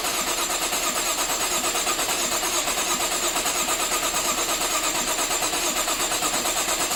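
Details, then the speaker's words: 2013 Jaguar XF 3.0L AJ126 supercharged V6, first start after rebuild, long off with oil drained, assembly lube used: long crank, then busy clattery valvetrain rattle until oil pressure builds; startup rattle before oil pressure builds. "even though I put assembly Lube on everything it takes a little while for all that oil pressure I mean the engine's been off a long time every drop of oil has dropped down to the oil pan was drained out so um yeah it might be a little bit Radley might take a little bit long to crank"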